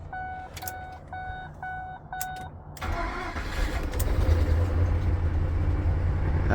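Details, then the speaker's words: 2005 Ford Expedition 5.4 Triton with accessory belt removed after a seized AC compressor caused slow cranking: chime beeps, short crank, engine catches at once and settles into a steady, even idle. "now it's running so if you're having a problem with slow cranking on a 2003 to 2006 Ford Expedition check that check to make sure none of your pulleys are seized"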